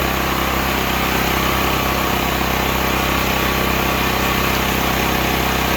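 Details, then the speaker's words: Stanley 8000 W all-weather generator, bought used after sitting four years, run after starting fluid, meter reading 7 (possibly 7 hours), new air filter; steady, even drone with constant pitch, no misses or surging; running smoothly. "Get farther away from that, a little quieter. Seems to work fine."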